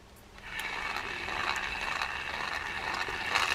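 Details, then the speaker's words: Penn Clash spinning reel, owner already replaced the gear, cranked by hand: still very rough, gritty grinding surging about twice a second; sounds like a bearing but could be gear grind, not confirmed. "and as you can hear it's still very very rough that sounds like a bearing but it could be a gear grind we're not sure"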